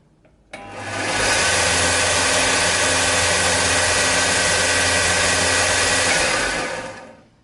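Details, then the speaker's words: Sealey SM750 belt and disc sander, 250 W induction motor, first switch-on unloaded: spins up quickly, smooth even quiet hum with no rattle or grind, winds down cleanly; normal running. "Sounds nice and quiet and smooth."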